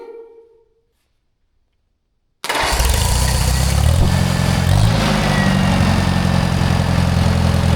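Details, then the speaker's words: Old Michigan loader rescued from scrapyard, first runs after sitting many years, not yet warm, oil leaking from coil canister: silence, then it fires at once and holds a steady, even idle with no misses or knocking; healthy normal idle. "BUT MAN, DID YOU HEAR HOW GOOD THIS THING RAN? I can't believe it. I mean, this thing runs like beautifully."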